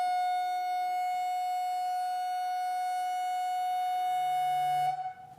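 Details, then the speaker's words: $100 NEMA23 180 W 3000 rpm easy servo on a lathe electronic leadscrew, stiffness raised from default 11 to 14: a loud, dead-steady shrill tone near 700 Hz for five seconds, then cut; resonant oscillation from excessive stiffness. "okay so that hit resonant feedback"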